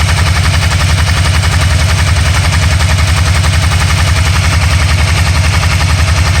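Loud, fast popping beat at about 220 per minute, a little uneven and stumbling, the way an engine misfiring at idle sounds.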